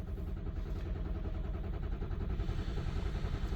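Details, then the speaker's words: 2005/2006 Ford F250 6.0 Powerstroke, crank no start: the starter churns steadily at about 3.5 beats/s without firing. Cranking ICP stays under 278 psi (500 needed) with the IPR at 85%, so the IPR or a high-pressure oil leak is suspected. "you can see the IPR is at 85% we're not building over 278 lb so if you're not building 500 lb of cranking oil pressure and your IPR goes to 85% you have two problems"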